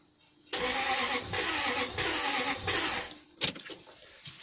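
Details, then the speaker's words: Lexus LS400 V8 after auxiliary belt tensioner and idler pulley replacement, air filter assembly refitted. Starter spins engine about two seconds with even churning, no firing; crank no start, owner checks coil pack; later found to need new spark plugs. "something is clearly not right what is not right it's make sure the coil pack was on properly"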